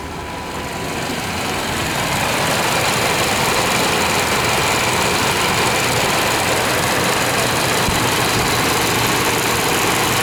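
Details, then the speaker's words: 1998 Chevy Vortec V8 truck started after about 12-15 years sitting, following a Passlock reset and oil in cylinders, nearly out of fuel: slightly uneven, lumpy idle about three or four beats a second, a little rough, smoothing as it runs. "Just about out of fuel. But she's running. I'm going tell you how we did it. Have to show you how we did it. It's a little rough, but it's running."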